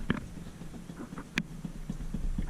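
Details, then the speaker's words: Honda CR-V front end, wheel rocked by hand before a front end kit install: dull knocks about four per second from a tie rod with back-and-forth play; ball joints also corroded. "and then uh we need to get this tie rod because it's got some movement um back and forth"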